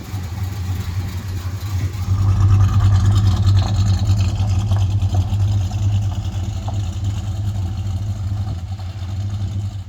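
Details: 1968 Chrysler Newport Custom with Holley Sniper fuel injection and Hyperspark ignition, idle timing set around 18 degrees, where it ran smoothest; deep steady burble, even low pulse, no stumble or shake; normal idle.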